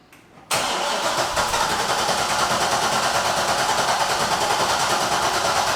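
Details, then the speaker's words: Chevrolet C6 Corvette Z06 with owner-built engine, freshly returned from a shop after base tune and brake line fix, started and driven: raspy puffing tick on the exhaust note from a leaking exhaust. "boys it's got an exhaust leak so it's Mak there's kind of the sound that it's making hear that"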